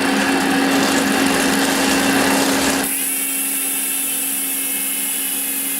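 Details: Koozer XM90 hub on Saracen Cross 1 bike, 5 days old, after 200 km of hard trails, recorded on camera mic: fast, even ratcheting buzz easing off as hand-spun wheel coasts; normal freewheel pawl engagement, no grinding.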